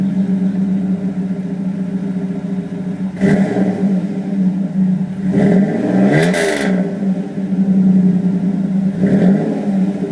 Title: Flowmaster after exhaust leak fix